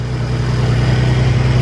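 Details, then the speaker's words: Ford Taurus SHO first start after engine rebuild with new pistons, muffler and resonator deleted: deep steady even idle with loud open exhaust, no knocks or misses; some smoke, likely burn-off. "sounds really good oh that sounds really good previous owner actually did a muffler and res delete so it already it already is sounding good for us"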